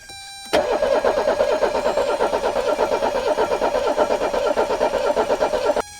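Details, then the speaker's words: 1984 Mercedes 300SD turbo diesel attempting first start in years, fuel being bled: about five seconds of steady cranking near three compressions a second, never catching. Cranks, no start; diesel reaches the injectors but with low injection pressure, possibly only one cylinder firing. "so there's diesel up here but not near as much pressure as i would expect to see"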